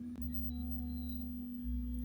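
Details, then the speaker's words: Homemade buck-boost converter, heard alongside its EI-type transformer, which makes an unbearable noise: steady, pure high hum at constant pitch over a low buzz. Inductor coil whine. "Por otra parte, este es el transformador eh tipo Ei. Hace eso. [música] Es muy insoportable el ruido que hace."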